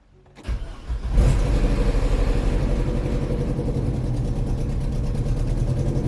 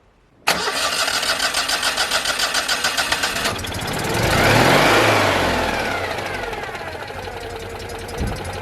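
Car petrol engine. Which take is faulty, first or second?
first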